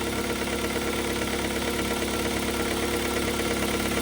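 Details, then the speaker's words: Kia Carens 3 2.0 CVVT (G4KA) petrol, warm idle after fuel injector cleaning: steady, even beat with no misses or stumbles, engine shaking less and smoother than before: normal idle. "The engine started working, in my opinion, again, after this work it's somehow smoother. Well, you see, it's almost not moving."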